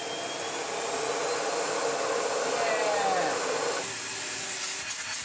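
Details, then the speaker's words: 2005 Sebo Felix Classic vacuum after restoration with new head and genuine spares and correct filter, started on low then minimum: steady, even motor rush with smooth airflow hiss, no rattles or surging; excellent airflow, running normally. "Excellent airflow. Again, if we go down to minimum. Very nice indeed."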